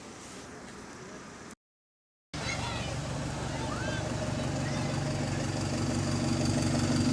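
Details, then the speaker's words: GAL SE152 diesel bus, revved in neutral: harsh raspy roar growing louder, far noisier than normal, appeared suddenly one night; exhaust leak suspected, possibly pipe dented by hitting something on the road. "was something under the road maybe there was a driver that dented the exhaust pipe or something like that"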